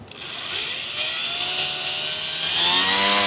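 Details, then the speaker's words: E-flite UMX J-3 Cub electric motor at about 30% throttle with heavy aftermarket propeller, before refitting factory prop: steady high whine with buzzing rattle on top; propeller vibration. "You can hear that vibration. When you're flying, you hear it very well, because that was only about 30% throttle."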